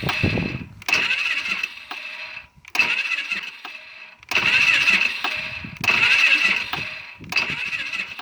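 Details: Polaris Sportsman 500 ATV, about 12,000 km, after a rollover: several short cranking bursts with pauses, engine turns but never fires; starter seems slow even with a new battery, cause unconfirmed.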